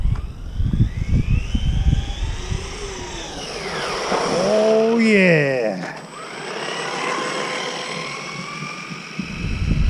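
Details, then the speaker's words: Car fitted with new 15-tooth gear, speed run on snow and ice: high whine sweeping up and down with throttle over motor hum; owner thinks gear mesh is too tight and needs backing off. "get a speed run in nice and safely sounds like the mesh needs to be just backed off by here"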